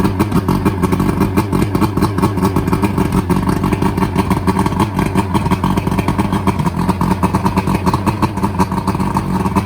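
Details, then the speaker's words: Boat outboard that was half-submerged when the boat sank, after draining bad fuel and adding fresh fuel: cranks up and settles into a steady, even idle with a regular beat and no misses, knocks or surging; normal running. "We've got the bad fuel out, got some good fuel going into it now. It cranked up, ran for about a minute."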